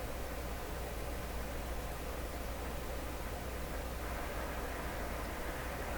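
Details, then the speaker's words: Nordmende 3004C radio on shortwave near 15 with a 5-foot wire antenna. Only a faint, even hiss comes through even at full volume, suggesting low gain or misalignment. The owner says the poor antenna could play a part; the cause is unconfirmed. "You shouldn't have to turn it up all the way for a weak hiss. So something's still up."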